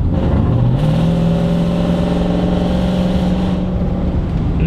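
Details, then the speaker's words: Toyota Sequoia 2UZ V8 with new custom exhaust but no catalytic converters, check engine light on: deep, loud, raspy droning exhaust rising and holding as it revs, like a straight-piped truck. "ah it kind of sounds like one of the leaned out trucks just like needs cats honestly that's what it needs"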